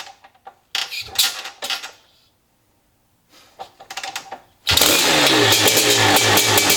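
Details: Maico 660 big-single two-stroke after new reeds, reed intake and jets: after clattering handling it fires instantly into an even crisp idle; started and restarted easily, idle needed adjusting; running normally.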